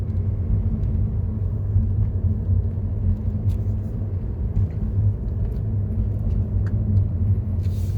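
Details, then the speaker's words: 2015 Mercedes-Benz W212 E-Class after repair; the owner had a front driver-side underbody rattle on rough roads despite repeated suspension part replacements. On the test drive with the customer, only an even road rumble is heard and the noise is gone. "어 지금 이제 조립을 다 하고서 고객님하고 같이 운전해봤어요 그랬더니 고객님이 지금 소리가 안 나니까 무지 좋아하시고 그러네요"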